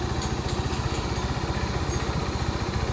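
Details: Honda Supremo 150 single-cylinder after replacing worn valve guides and valves: even idle about four beats a second, no top-end ticking; a healthy, quiet-running engine after repair.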